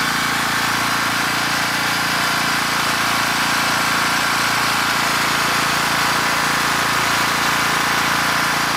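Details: After the original engine dropped a valve, destroying piston, rod and head, the rebuilt Champion 458cc engine on an 8000-watt dual fuel generator is started on electric start with choke on; it settles into a steady, even single-cylinder buzz with no misses or knocks, a healthy normal run.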